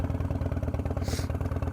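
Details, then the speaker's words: Big twin at idle just after fitting an S&S 55mm intake manifold, with the throttle tuner on: a loping potato-like beat with a hollow intake suck, louder than stock. Owner wondered about a loose fit or air leak; cause unconfirmed. "I don't know if it's going to bug me maybe I got to take it apart check it again but man everything seems to be right on the money it's just louder"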